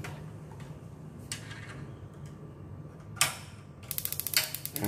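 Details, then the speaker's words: Wasser WH 506 A gas water heater with control module wired to power, tested by lifting the switch: quiet, then quick sharp even igniter ticks and a click and hum as the gas solenoid valve opens; igniter and solenoid working. "ini pemantik hidup, solenoid hidup."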